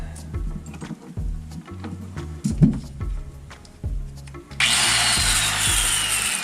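Handling thumps, then the grinder spins up to a steady high whine and runs smoothly with no grinding or sputter; working normally.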